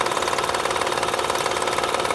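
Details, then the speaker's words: 2007 Honda Odyssey 3.5 V6 at idle, wheel removed: fast even chattering rattle, loudest at timing belt tensioner via stethoscope; worn tensioner, fixed by replacing tensioner, timing belt and a side engine mount. "aquí se escucha seguramente es el tensor de la banda el que está provocando ese ruido"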